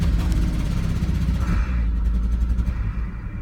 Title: V70 XC misfire problems